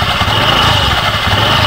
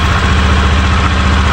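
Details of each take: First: Honda Beat FI v2 scooter idling with the CVT case cover removed, busy rattly clatter over the engine; mechanic finds a part loose there, worn from overheating after a long hard ride, and plans to test by swapping the torque drive; loose CVT bearing. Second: Honda Beat FI v2 scooter after replacing the crankcase bearing's worn copper centre with a new part, steady even idle from the drive side with no rattle; the earlier ticking, gravelly noise is gone; normal idle.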